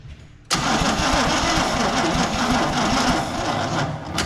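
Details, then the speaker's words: 1984 Chevy C20 3/4-ton two-wheel-drive truck revived after years in storage, first start attempt with fuel added: starter drags unevenly and sluggishly without catching; battery dead, and no spark was found afterwards. "Well, the battery is dead."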